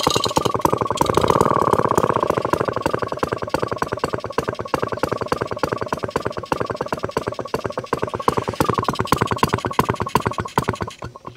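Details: Warm, previously repaired engine restarted with fuel on; crisp, regular two-stroke popping at a steady idle, about four to five beats a second, even and unbroken; healthy engine.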